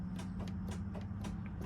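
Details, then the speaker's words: Motorhome emergency start button pressed with engine off: quick, even clicks about four per second over a low hum, the jump start solenoid that links the batteries engaging; normal. "you'll hear a clicking noise. That is a jump start solenoid for the engine."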